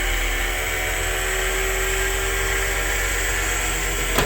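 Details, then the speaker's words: Wheelchair lift on 1999 Ford E450 chassis with 7.3 Powerstroke diesel, 131K miles, stowing: steady even motor hum with faint high whine, no knocks or grinding until it stops; lift works as it should. "All right, well, there you have it. It works as it should."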